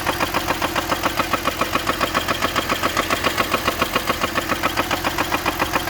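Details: BMW E46 with M54B30 engine at idle: steady regular deep knock about three or four times a second; owner asks rod knock or spun bearing, unconfirmed.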